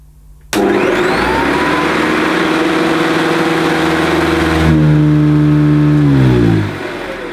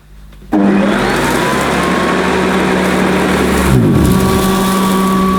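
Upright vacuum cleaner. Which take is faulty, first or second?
second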